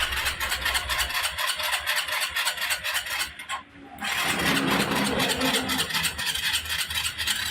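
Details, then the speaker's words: Suzuki Skydrive scooter with strong battery and starter motor, timing, tune-up and air cleaner already checked: push-button start cranks fast and steady, about four turns a second, then catches after a gap; hard starting on electric start, easy on kickstart. "So kung mapapansin nyo, hard starting siya sa push button kahit malakas yung battery at malakas yung starter motor, pero hindi mahirap paandarin sa kickstart."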